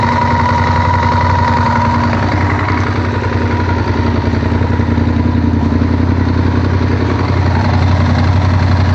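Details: Honda VTR1000F V-twin idling: quick, steady light knocking over the engine note; cam chain tensioner knock, fixed by replacing the cam chain tensioners.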